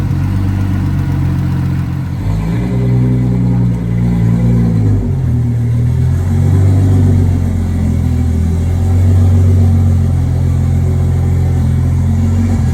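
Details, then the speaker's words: Nissan R32 RB20 straight-six, first start in 3 years, open downpipe with no exhaust: loud, deep, steady idle with a couple of clean blips that rise and settle evenly, no knock or miss; healthy idle and revving. "so we've got it fired up yesterday um and Luckily everything sounded okay in the engine which is a good sign because we were a little concerned"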